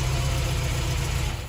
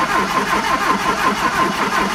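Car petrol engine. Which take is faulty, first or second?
second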